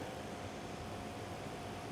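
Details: Steauty 12V 120 GPH fuel transfer pump with filter attachment, powered by a cigarette-lighter plug or battery clips, pumping fuel: quiet, steady electric hum with an even hiss, no surging or grinding; running smoothly.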